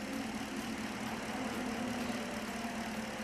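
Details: 2016 Holden Commodore VF, 6.2 L LS3 V8 reported running rough; stethoscope on driver-side injectors, cylinders 2, 4, 6 and 8, at idle; regular, consistent clicking; normal fuel injector clicking.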